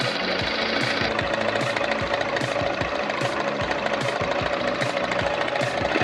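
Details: Honda Bros 160 motorcycle: fast regular mechanical rattling clatter over the running engine with music behind; abnormal engine noise, cause not identified.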